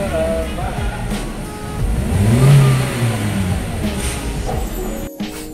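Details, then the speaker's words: Toyota Agya GR Sport that hesitated and misfired on acceleration. After the injector, spark plugs and coil were reinstalled, the engine revs up on sudden throttle and settles back cleanly with no stumble or delay: normal acceleration. "Oke untuk tarikan brebet untuk keluan yang brebet tarikan yang telat tadi ini sudah tidak ada ya digas secara spontan dia juga aman tidak ada e seperti tarikan gembot atau apa ya ini normal dan tidak ada merebetnya"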